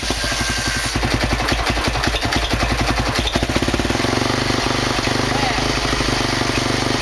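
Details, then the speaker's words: 2003 Honda CRF450 single-cylinder, first start after engine rebuild for seized conrod bearing, cold, started without choke at about 25°C: catches and settles into even quick thump, no knock or tick; normal start and idle. "Donc le starter à froid ne tenant pas, je l'ai démarré sans starter. On a bien vu qu'elle a démarré, j'ai tiré le starter après en pensant qu'elle allait caler, et finalement elle tient très bien."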